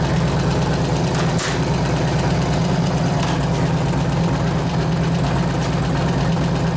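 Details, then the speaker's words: 2004 Harley FLHT 88 Twin Cam after a cam change and tensioner bearing repair, running through the gears: deep, steady V-twin with light clatter; attributed to valve rattle, not the cam, cause unconfirmed. "I couldn't hear it over the rattling the valve well hopefully the valve calms down because that's not the cam doing that"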